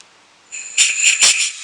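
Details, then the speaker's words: Compressed-air vacuum brake bleeder on a Morris Mini, trigger pulled: steady high air hiss with short surges as air flow builds vacuum in the chamber to draw brake fluid; normal operation. "hear the air running through it, and that's generating a vacuum in the chamber, and then of course going to start drawing the fluid."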